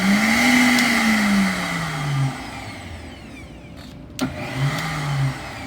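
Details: Vitamix 7500 blender after makeshift repair of speed-control dial contact (previously only ran with pressure on the dial) whirs up to a steady pitch, winds down, restarts cleanly with no grinding; runs normally.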